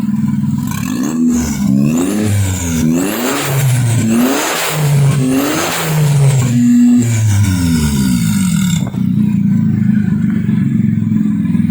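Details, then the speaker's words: Kancil converted to Japanese AVY turbo engine, now hot: repeated hard throttle blips rise and fall cleanly, no misfire or knock. No smoke even when revved hard; earlier smoke was from oil spilled from the half-cut engine onto the exhaust. "Ah ha ni enjin enjin tak ada asap. Kita dah RAM RAM kawkau ni tak ada asaplah."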